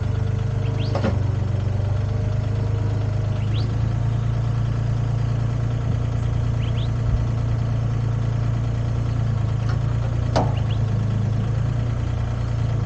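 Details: Used Komatsu PC10-3 mini excavator, SN 6097, hood down, at low idle: steady, even diesel rumble over thirteen seconds with no knocks, misses or hunting; healthy.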